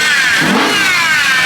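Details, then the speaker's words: BMW E92 M3 revving outdoors in strong wind with the air conditioning on: a thin whine rides over the engine, rising and falling with each rev; owner suspects a worn power steering pump needing replacement, unconfirmed. "i think it's the power steering so i need a new power or a steering pump"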